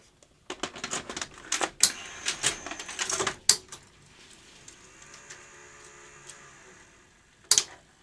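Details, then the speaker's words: Sony UVW-1200P Betacam SP player loading a large tape after greasing the mechanism: quick clicks and clunks, a short motor whir, then a final clunk; threads cleanly, likely previously mechanically sticking. "that's all good so maybe it was mechanically just sticking well we're good now"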